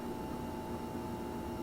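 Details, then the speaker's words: Refrigerator buzzing when running, like a fluorescent light; owner felt lines and motor at back without changing it, cause unknown; constant mid-pitched electrical buzz with low hum underneath. "bad you hear that buzzing and a fluorescent light if any of you guys know and I've looked on the back of it and I've taken my hand I felt lines and the motor and stuff and I can't seem to make a difference in it"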